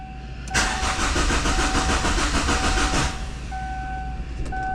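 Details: A 2002 Kia Sportage that sat a long time, with a new battery, cranks evenly for about 2.5 seconds without catching; no fuel pump is heard. The owner suspects the cam or crank sensor, unconfirmed: crank-no-start.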